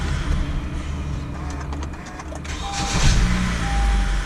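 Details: 2014 Honda Accord 4-cylinder after starter motor replacement: engine catches and settles into a smooth, even low rumble with no grinding or hesitation; normal idle after repair.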